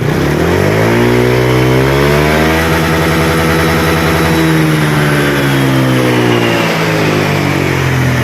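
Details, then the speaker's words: Overhauled Honda Click 125 with error code 8, after new spark plug and TP sensor/throttle body work: engine revs up and holds smooth even note with no misfire, previously misfiring. "Ayan pino yung anar tapos pag binibirit mo siya dati na palyado."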